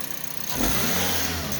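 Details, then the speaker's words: Toyota Vios petrol engine revived after 3 months sitting by adding oil to cylinders, no scanner needed, some oil smoke: clean quick rev from idle held smoothly without stumbling; normal revving. "Hindi na kailangan ng scanner dahil may kuryente may gasolina kumpleto Mabait siya umandar ang kinis lang"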